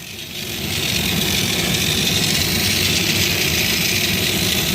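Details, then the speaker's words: Stomper 4x4 toy after fixing a non-running unit: even high-pitched electric motor whir with light gear buzz, holding steady; motor runs freely and sounds fine. "what really sounds good motor sounds good"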